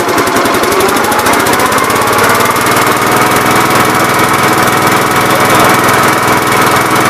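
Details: Gravely 8123 with 50-inch mower deck after deck bearing replacement: loud, even engine and blade drone with a smooth spin and no pounding or grinding from the spindles; far better than the earlier sledgehammer-like pounding.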